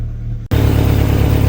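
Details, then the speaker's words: VW Lupo at idle, heard underneath, before the exhaust middle section is replaced: deep rough rumble with puffing flutter as the middle exhaust box blows, no visible leak; exhaust leak at middle silencer. "so if you can hear it blowing under there I mean that is the exhaust box it's pretty nasty it's not really leaking a minute you can't see it but it's blowing a good in"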